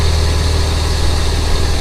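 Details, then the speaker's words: 1998 BMW E39 with M52 engine after belt/pulley work, fan and shroud removed, run briefly: deep steady idle hum with no squeal or chirp from belts and pulleys; loud noise fixed, normal idle. "I don't really hear anything out of the ordinary"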